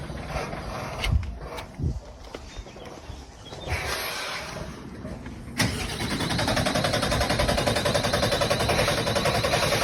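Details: Bin lorry, diesel, won't start: repeated bursts of starter cranking at three to four turns a second, the engine never catching into a steady run.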